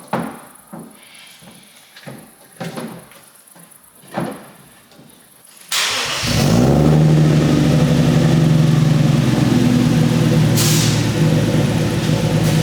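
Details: Budget turbo Lexus, freshly finished build on 0.5 bar boost, no air filter yet, before test drive: after light clicks and handling it fires right up into a steady even idle, no knocks or misses.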